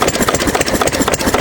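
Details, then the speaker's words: 6 HP Witte diesel, revived after 30 years with valve work, oil change, fuel-system cleaning; governor spring removed, so running about 300–400 RPM versus roughly 750 rated; slow, steady even chuffing, little smoke; slow idle. "And of course, this, you know, this engine is probably rated at about 750 RPM or so, I think. Right now it's probably only doing 300 350 RPM maybe four."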